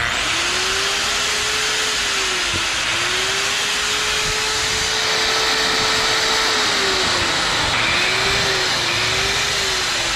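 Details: Bosch GWS 22-180 angle grinder with a burnt switch, running on a temporary switch bypass: steady high motor whine over constant hiss, pitch dipping briefly and recovering; smooth normal running.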